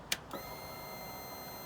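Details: Royal Enfield Classic 500, mic near the tank: sharp relay click, then a steady high electric hum as the fuel pump primes cleanly; normal.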